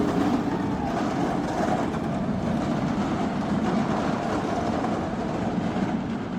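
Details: Batman The Ride roller coaster at Six Flags Magic Mountain: continuous rolling rumble with a rapid, abnormal clattering rattle as the train runs; cause unknown.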